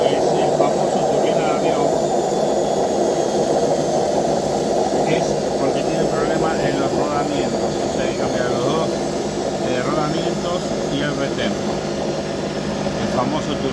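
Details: Washing machine during the spin cycle: a loud, steady roar like a jet turbine with a whistle on top; the drum bearings are worn out.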